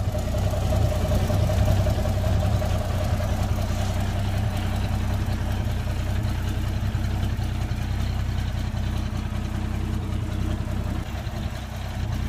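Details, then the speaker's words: Rusty beach-kept Toyota Land Cruiser FJ60 project, started in neutral: smooth, even idle with steady low rumble and no knocks or misses; the engine sounds healthy. "and it does start and it sounds healthy too wow she does start"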